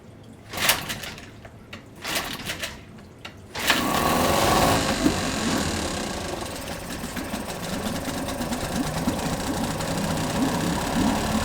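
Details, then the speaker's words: Yamaha 5 two-stroke outboard No. 1, pull-started on internal tank with choke closed and throttle slightly up: a few sharp pull strokes, then a fast busy buzz; idle speed set too high, lowered, check-port stream confirmed. "We decrease the overestimated idle speed, check that the stream from the check port is going."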